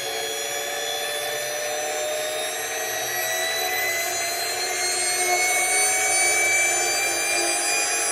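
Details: Porsche 924S EV conversion drive motor run toward 6,000–8,000 rpm for the first time, transmission without axles; clean, steady high whine with tones climbing slowly, maybe very slight vibration but not the earlier noise. Normal.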